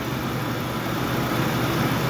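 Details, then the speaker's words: 2004 Jeep Liberty being diagnosed for a misfire with a secondary ignition waveform. Even, steady, smooth idle with no stumbles. Normal idle. "oh that's a lot smoother already I like it"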